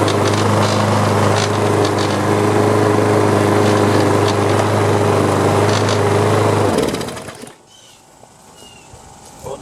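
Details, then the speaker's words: Free Troy-Bilt walk-behind mower with rear-wheel drive, after carburetor work: small single-cylinder engine running steady with a fast, even buzzy rattle before shutdown; owner thinks a loose cover was rattling and removes it. "I think this cover was just rattling away take it off"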